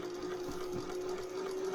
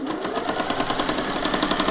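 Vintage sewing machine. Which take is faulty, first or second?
second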